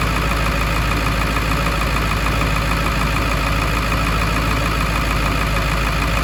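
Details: 1999 Ford F250 Super Duty 7.3L Powerstroke diesel idling after turbo reinstall and EBPV pedestal seal rebuild for oil leak, pedestal pigtail connector replaced; steady even diesel clatter, no misses, stumbles or odd knocks; normal healthy idle.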